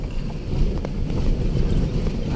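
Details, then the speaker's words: Toyota Kijang Innova road test on rough pavement after fixing worn, loose front brake caliper bolts: low road rumble and wind, no knocking or rattle from the front left or right wheels any more. "aman cash nggak ada suara keroncong keroncong lagi di roda depan kiri kanan tes dulu oke sebelumnya yang tadinya bunyi keroncong Kroncong sekarang sudah enggak ada bunyinya ya"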